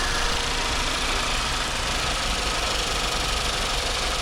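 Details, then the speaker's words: 2018 VW Jetta 1.8L running smooth at idle with the camshaft adjuster (VVT) solenoid unplugged: steady, flat revs with no surging, bad timing or misfires, confirming a faulty VVT solenoid/magnet as the cause of rough running and cold-start problems. "Look at that. No more surging. No more terrible timing. It's actually running well. No more misfires with that unplugged."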